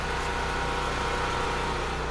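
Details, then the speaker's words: Firman generator running on propane from 75%-full tank after start troubles, set up before ice storm: steady constant hum at fixed speed, no surging, popping or misfires; normal running. "So, now that's up and running. I'm happy."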